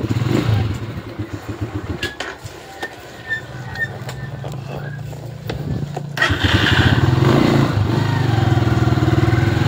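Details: Skygo primary-type motorcycle, hard to start after water got in, CDI ignition converted to battery-operated: single cylinder catches about halfway and settles into even steady beat; starts and runs normally.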